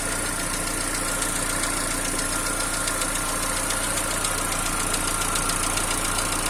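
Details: TU5JP4 engine, cold idle: rapid, fairly even light knocking tick over the engine hum, about three to four per second; appears about a minute after start and disappears once warm.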